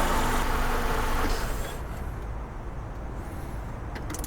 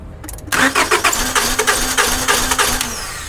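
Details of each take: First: Honda Accord, about 2001-2002, that wouldn't start; after starting fluid, restarted after running about 5 minutes: idle cuts off, short crank catches promptly to smooth, even idle; suspected simply out of fuel. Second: 2001 or 2002 Honda Accord (6th gen) that won't start; starter cranks evenly, about three compressions a second, never catches; spark confirmed, fuel pump relay next suspected, no fuel reaching engine.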